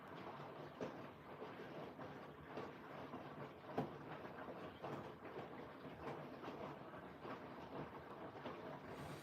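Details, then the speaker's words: Siemens 9 kg washing machine, Eco 40-60 main wash with an 8.35 kg full load, likely still load sensing: fast tumbles in a normal rhythm, with laundry swishing and thudding about once a second; normal. "Well, it's I think it's still load sensing at the minute. It's doing the fast tumbles like normal rhythm."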